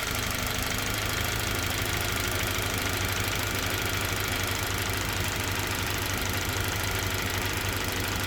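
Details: Toyota Verso 1.8 2ZR-FAE Valvematic, 180,000 km, petrol/LPG; loud fast irregular ticking clatter near three per second, uneven beat; engine shakes, occasional cylinder 4 misfire; compression ~13 bar, plugs, coils, injectors OK, no codes; cause unknown.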